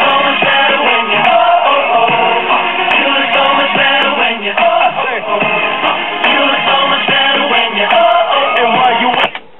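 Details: 1964 Philco AM vacuum-tube clock radio after replacing power-supply electrolytic capacitors that caused loud hum: station audio plays clean with no low drone underneath; normal playback, no hum.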